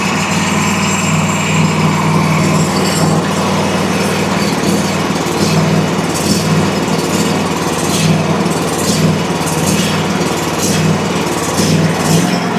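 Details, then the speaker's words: Country Clipper Challenger 52-inch zero-turn mower that came in locked up and not turning over, low on oil, battery boosted, carb/choke cleaner used; now running with a steady, even drone, no misses or surging, surprisingly sounding fine. "It actually very surprisingly did not sound bad once we got this thing running."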